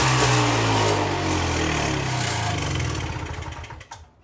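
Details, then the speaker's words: Two-cycle snow blower engine on oil-gas mix, started after a repair attempt, runs briefly at a steady buzz, then loses revs and sputters to a stop within about four seconds; it starts then stalls, so more work is needed. "Turn it on. It's working! That's for sure working. Well, that's definitely better, but it just cut out."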